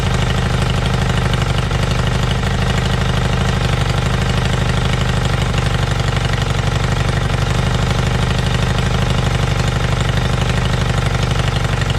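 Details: Motorbike started outdoors with carbs that were filthy; it had run poorly when bought: steady, even idle with a regular low pulse and a slightly loud, open exhaust note. Normal idle, owner confirms both cylinders are running.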